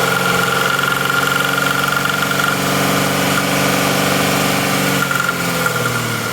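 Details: 2013 Mazda CX-9 at idle: a light popping or clicking at about four per second, from the intake manifold, rides over a steady idle. The cause is not yet identified.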